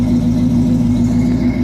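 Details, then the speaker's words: 1971 Buick Skylark, stock engine with Edelbrock 1406 carburetor adjusted for cooler autumn weather, just started and warming up: steady, even V8 idle with smooth low beat, no stumble or miss, no vibration; normal idle. "whole car should feel in a smooth like I'm not feeling any vibration coming through this whatsoever"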